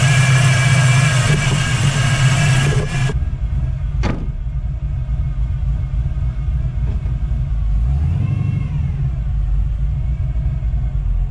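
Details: 1979 Chevrolet Camaro Z28, T-10 4-speed, small block Chevrolet over 400 cubic inches, hood open at idle: strong steady whine over the lumpy V8 idle, loud at first, from a noisy Pete Jackson timing gear drive, exhaust quieted with Flowmaster F/X.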